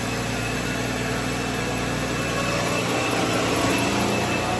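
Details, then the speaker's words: 2009 BMW 328i at idle: loud constant rush of cooling fans at full speed drowning the idle, a failsafe from the failed electric water pump (codes for pump shut-off and speed difference, no check-engine light); pump and thermostat to be replaced. "there it [Music] is fans are running at a full speed all right I'm going to shut this [Music] off"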